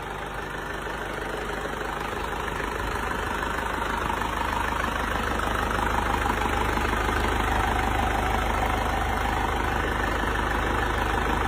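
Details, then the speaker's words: Rebuilt diesel engine after oil starvation damage, crankshaft machined, bearings and connecting rod replaced: steady idle with even clatter, no heavy knocking; previous plok-tok piston-hitting-head noise gone. "Kemarin suaranya plok plok tok tak tak tak gitu karena sekernya menghantam silinder head karena koklok metalnya."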